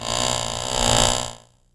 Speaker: As you can tell from the sound, the shaft speeds up and slows down twice.